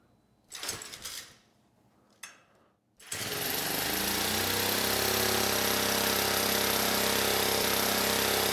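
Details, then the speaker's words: 1970s Honda E400 generator after carburetor rework, run briefly without cooling shroud; catches after a couple of pulls and settles into smooth steady buzz with no misses, producing 130 volts; healthy running. "130 volts and the engine sounds good very nice"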